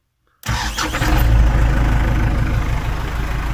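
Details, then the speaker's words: New warranty-replacement reduction starter on a stone-cold MTZ-82 tractor diesel, battery 12.3 V dropping to 10–11 V while cranking: rising whine over rapid cranking before it catches and idles steadily; owner finds the starter howls unusually. "вот только как-то непривычно такой звук при пуске вроде воет"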